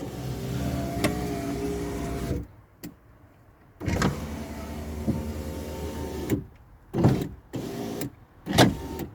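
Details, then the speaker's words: Car door window regulator repaired with Gorilla Glue on the guide, runners greased: motor whirs steadily, then sharp clunks and pops as the cable cam slips out of its guide again. "that noise you heard is probably ah yeah it's come out again let's have a look uh yes it seems that the cam is still slipping from the guide"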